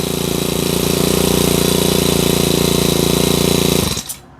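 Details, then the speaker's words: Honda GX35 four-stroke trimmer engine fitted with a broken Easy Start decompressor: hard to pull, kicks back and jerks on starting, runs with a harsh, jerky beat of about three pulses a second, then cuts out. "เวลาสตาร์ทแล้วเครื่องมันจะกระตุกพิกคว่ำเลยนะฮะแต่มันก็ยังติดนะครับถ้าเราแต่มันสตาร์ทยากหน่อยนึงนะฮะ"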